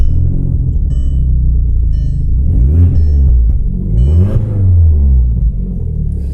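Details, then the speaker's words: Heavily modified drag-setup Audi TT at idle with small throttle blips: a deep, loud booming rumble far louder than a sealed exhaust, from the exhaust cutout open. The car also has a grabby clutch and no power steering. "that's pretty loud. I don't know if I like the sound of it."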